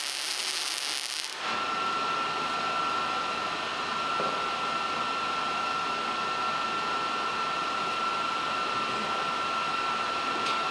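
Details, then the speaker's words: Miller Multimatic 215 MIG welding about 0.2-inch stock with 75% argon / 25% CO2 gas: steady crackling sizzle like frying bacon with a constant high tone, even and uninterrupted; a well-tuned, normal weld. "That was a great sounding weld. You can tell a lot of the problems from your welder usually just by the sound of it, and that kind of sizzle that it was making as I was going along. That's a really good sound, and it's really fun, so let me do it some mor"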